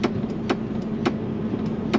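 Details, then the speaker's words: Land Rover LR3/Discovery 3 after brake switch repair and P0504 code reset, idling: sharp relay clicks about twice a second as the brake pedal is pressed, relay pulling in cleanly; brake light circuit now working normally. "that's actually the relay that goes in so now i can hear it's definitely working which is nice"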